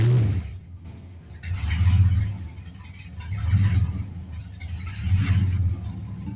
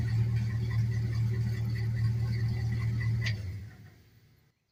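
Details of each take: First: LS-swapped 1948 Ford F1 with headers and open straight pipes but a tune still set for mufflers and cats: a loud V8 idle surging up and down about every two seconds. Rough running; the owner suspects the tune and lack of back pressure. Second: LS-swapped 1948 Ford F1 rat rod after lock-off plates were fitted to the purge valve solenoid and EGR valve to cure a large leak, with new exhaust and correct O2 sensors: steady, even V8 idle with no miss or hiss. Normal idle.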